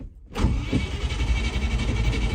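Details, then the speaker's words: 1986 Land Rover V8 with twin carburetors (rebuilt, tuned, balanced) starts from the cabin and settles into an even, steady idle under a loud whoosh from the big viscous engine fan. Small exhaust fitted. The engine is healthy; an earlier breakdown was brake-related. "So it has got a massive viscous fan on the front of the engine instead of electric cooling fans, which is why all you can hear is fan. And it's got a tiny pea shooter of an exhaust on, but we'll do something about that in due course. But otherwise, sounds all right, doesn't it?"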